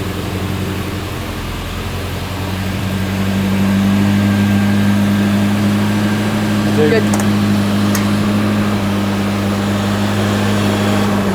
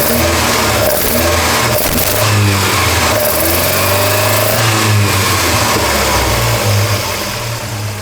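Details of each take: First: Volvo 240 with twin Dellorto 45 carburetors, started cold on choke and warming up: lumpy uneven idle with a couple of sharp pops; new misfire. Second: Volvo 240 after fixing a twisted rod and fitting twin Dellorto 45 carburettors, microphone at the carbs: a deep, throaty intake roar swells and falls cleanly with each throttle blip, with no stumble or spit; normal, balanced carburettor intake sound.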